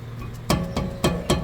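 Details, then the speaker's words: Crash-damaged Honda Civic rear wheel: four sharp knocks when struck, each with a small loose clunk from a gap in a damaged hub, making the wheel, rotor and brake parts shake. "hear that little clunk? That is a gap. So yeah, whole hub is wonked."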